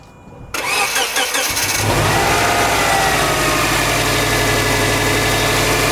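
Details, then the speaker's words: 2006 Subaru Legacy GT with a weak battery, jump-started with an uncharged, out-of-box Interstate PWR7020 lithium jumper: about 1.5 seconds of quick, even cranking, then a clean catch into a steady idle. Normal start. "But yeah, mission success. So keep in mind, actually I used this right out of the box, so I didn't even charge it."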